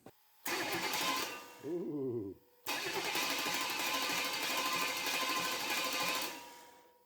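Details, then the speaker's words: Chevy 350 5.7L engine on standalone harness with old GM fuse block, fuel from small moped tank: two spells of steady starter cranking that never fire; crank no start, no spark seen at plug, needs troubleshooting. "Alright, so I'm not seeing any spark in that little spark plug there, so gonna have to troubleshoot that guy."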